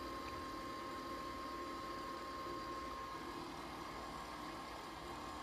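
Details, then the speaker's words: Tiny brand PC, Pentium III 450 MHz, Windows 98: quiet steady whirr with a thin constant tone near 1 kHz and airy hiss, no speed change; the fan on the CPU heatsink is making the noise. "Sami's why on earth is that noise that's the fan on the chick supply on the chip making that noise"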